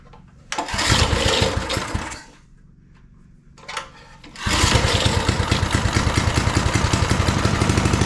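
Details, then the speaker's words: Small engine with a pull start, reel and drive not engaged, choke pulled: one pull nearly catches, the second starts it, then an even, steady putter with no misses; it runs really good although the carburetor needs cleaning. "I'll probably This thing runs really good, too."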